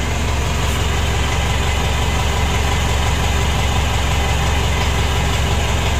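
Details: 2012 Mitsubishi Pajero Sport Dakar diesel, first start after engine rebuild for rough running, blow-by and oil burning: steady, even idle with a solid low rumble and no stumbles or knocks; thin smoke from assembly oil, healthy idle.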